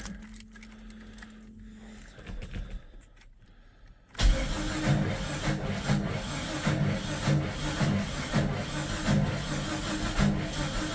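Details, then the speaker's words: Jeep Comanche cranking even with ether sprayed in: even cranking with weak catches but never runs. Owner believes the timing was messed up when doing the distributor gasket; crank no start. "Yeah, I think that's a timing issue. All right. So, I'm looking into this starting mystery and I believe the issue is when I was doing the distributor gasket, I completely messed up the timing."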